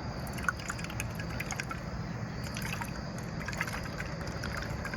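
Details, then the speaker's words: 1966 Chevelle Malibu Rochester 2-barrel carburetor on bench, which was pushing fuel out the vent: faint liquid sloshing and ticks as the float is shaken; float filled with fuel, so it cannot work properly; copper replacement planned. "can you hear that this thing is filled with fuel so uh that would make this uh float not operate properly"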